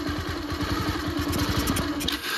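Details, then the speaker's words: Second-hand Bajaj Pulsar 150 with carburettor overflow, choke now off: steady idle thump that stumbles and dies when a little throttle is added; the fault is blamed on the carburettor. "Ideal condition में ठीक है। आप जब हल्का सा accelerator करेंगे बंद पड़ जाएगा ये गाड़ी।"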